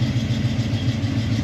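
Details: 1972 Camaro V8 after Aces EFI install: deep, even idle with a steady low pulse of about seven beats a second and no misses; normal idle.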